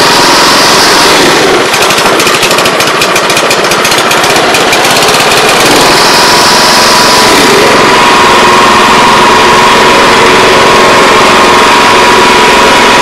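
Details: Older Honda Harmony 215 SX mower, 140 cc, after carb cleaning: steady single-cylinder buzz that sags slightly as the blade takes grass and recovers cleanly; normal running under cutting load.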